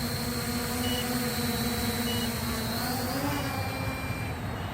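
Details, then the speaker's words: MJX Bugs 8 quadcopter in outdoor flight: fast repeated beeping over steady motor hum as the quad signals low battery with flashing lights, then the transmitter alarm joins; low-voltage cutoff warning. "I'm getting the lvc warning down though let's see if the quad is beeping now you guys can hear that and the lights are flashing"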